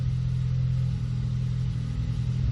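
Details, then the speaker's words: 2014 Ford Focus ST 2.0 EcoBoost at cold-start idle: a low, lumpy rumble with uneven popping and stumbling in the exhaust, from misfires on cylinders 2 and 4 confirmed by scan tool counts. "And you can actually hear it misfiring. You don't even need a scan tool. Hear it? Hear those pops like that? That's that misfiring."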